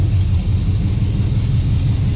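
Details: Chevelle V8 cold start after sitting a very long time, following a transmission leak repair; owner expects it may stall while fuel comes up: deep, even loping idle with no knocks or ticks; healthy.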